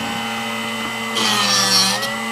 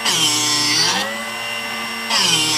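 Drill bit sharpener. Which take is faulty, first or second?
first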